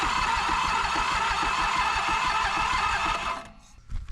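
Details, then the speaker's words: Toro Groundsmaster 223D diesel mower, abandoned for decades: after priming fuel and using the glow plugs, starter cranks steadily about three turns a second and the engine never fires, barely any smoke; low compression later found. "Not looking too good. I'm barely even getting any smoke, if that's smoke at all."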